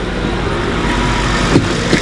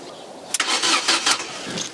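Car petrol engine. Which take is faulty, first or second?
second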